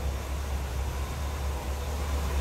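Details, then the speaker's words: 1975 Cadillac Eldorado Convertible with stock 500 cubic inch V8, heard from behind the car: no smoke, just running smooth; steady, even low rumble with no misses, knocks or surging, normal idle. "Not a smoke or anything like that. Just running smooth."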